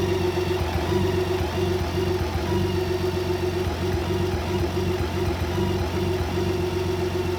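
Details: BMW K1600B six-cylinder rough at idle and in first gear near the top of clutch engagement; no diagnostic codes, dealer found nothing, owner suspects bad fuel, exhaust or plugs: slightly uneven, wavering idle beat over a low hum.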